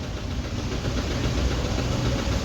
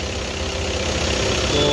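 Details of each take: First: Audi Q3 2.0 TDI diesel idling with white smoke and oil consumption: heavy, uneven knock about three to four a second and stumbling misfire; head removed, bent valves found. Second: Audi Q3 2.0 TDI after head removal and valve replacement for knocking, misfire and white smoke: quiet, steady diesel idle with an even beat and no knocking or tapping; normal idle after repair.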